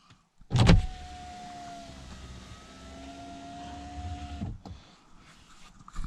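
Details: Saab 9-5 power window before lubrication: motor whines about four seconds, pitch sagging mid-travel as it labours; glass binding in its run channel.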